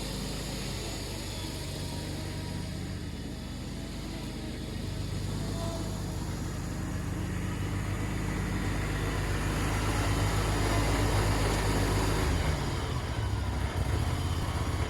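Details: Spartan SRT-XD zero-turn mower, 37 hp Vanguard fuel-injected engine, 61-inch deck, test run after replacing the drive/pump belt (461-0006-00): even, steady deep drone holding speed, no slipping or squeal, then shutdown; normal running.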